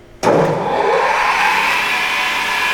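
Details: Pistorius MN-200 double miter saw, 12-inch blade, wired 230 V 3-phase, pneumatic hold downs; switch-on thump then motor spins up to a steady clean hum with no grinding or hiss; smooth running, no bearing issues or air leaks.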